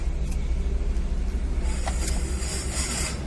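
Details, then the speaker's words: Maruti Suzuki Swift petrol/CNG, after ignition coil replacement for idle hunting, misfire and poor pickup: starts on a half crank and settles into steady, even low rumble with no stumble or misfire; runs clean. "बंद, ignition on, engine start, half cell में start, pickup complete, race भी परफेक्ट।"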